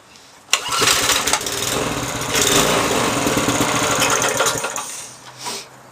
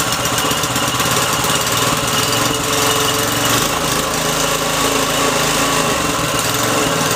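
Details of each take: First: Briggs & Stratton 3.5 hp single, probably over 10 years old, more ether sprayed, revs raised: bursts into a rough uneven run, surges and sags a few seconds, then dies; carburettor suspected blocked by stale gas, later cleaned and jammed choke fixed. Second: Briggs & Stratton 3.5 HP engine, little used, after freeing a jammed choke and fixing the carburettor: idles with a steady, even buzzing beat and no knocks or misses, running clean and healthy.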